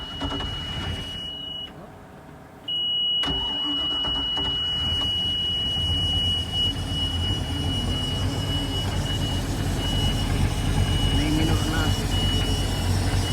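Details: MerCruiser 5.0 marine V8 after carburetor cleaning and reinstall, primed then started: short buzzer tone, engine catches on first try and runs and revs smoothly and evenly, a healthy start.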